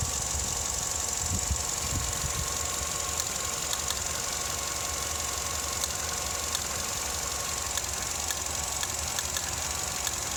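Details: Vauxhall Astra MK6 engine idling unevenly when warm, steady hum with faint irregular ticks and stumbles; rough idle, also shudders while accelerating.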